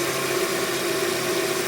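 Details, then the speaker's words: Hyundai Tucson after fixing a belt-area noise that was wrongly blamed on the power steering pump, wheel held at full lock; steady, even idle hum with no squeal or chirp; belt and pump running quietly, problem resolved. "Beleza o outro lado também vocês V que foi resolvido pessoal"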